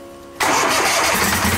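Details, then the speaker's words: Duck boat engine starting after fuel line and filter work, fuel pump connected, primed first: quiet lead-in, then it catches instantly without throttle and settles into a steady, even, purring run with better throttle response than before; normal start. "You can hear her fire up. She is purring. Fuel pump's on."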